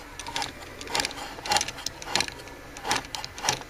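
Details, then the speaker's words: Toy 2003 Ford Focus Road Rippers car with a partly broken motor that stopped unexpectedly; uneven clicks about twice a second over a small whirring motor, likely from the gears, cause suspected, not confirmed. "The motor accidentally stopped on me. I don't know what happened. The motor's a little bit broken. You can hear like clicking in there from the gears."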